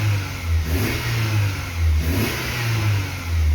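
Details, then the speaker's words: BMW E36 Compact 316i 1.9 that won't hold idle and misfires at low rpm regardless of temperature: above 2000 rpm the engine runs smooth and normal. "vemos como por encima de las dos mil vueltas el comportamiento del motor es normal"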